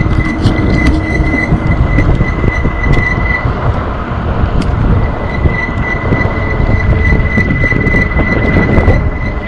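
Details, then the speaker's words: ENGWE Engine Pro e-bike, one year old with 1200 km: steady high-pitched squeal from the rear Logan hydraulic disc brake over rolling noise, dropping out and returning. Worn brake pads cause the squeal, and replacing them stops it. "and then you can slide the brake pad and put the new one and then no more squeaking that's it"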